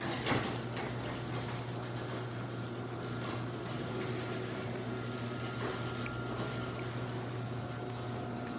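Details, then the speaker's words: Garage door opener closing after lubrication: steady low hum, smooth even run, no squeal or chatter. It used to be really loud and annoying and is now unbelievably quiet. "these Oprah's used to be really loud and annoying and when we got a lubricated unbelievably quiet"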